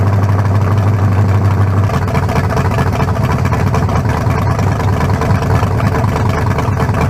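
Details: 1974 Nova's new low-compression turbo engine (40-over, 3.48 stroke, forged pistons; replaces a cracked-cylinder-wall 388): deep, lumpy idle staying even and steady, no knocks or misses, judged better than the 388. Normal idle.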